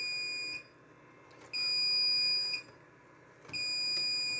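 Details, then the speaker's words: Computer at boot with a failed hard drive in the RAID array: loud high beep about one second on, one second off, repeating, with the controller chip's light blinking in sync; RAID controller alarm for the failed drive. "it starts, you can you can hear a very loud beeping. And if you look down in here up above on that chip right there, you can see the blinking light in sync with the beeping."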